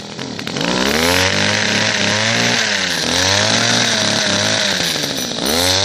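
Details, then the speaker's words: Second-hand two-stroke hedge cutter before any carburettor mixture adjustment; buzzy note revs up and down with the throttle, pitch following each blip, picking up cleanly and running normally. "right so as you can see it runs um on a two-stroke engine"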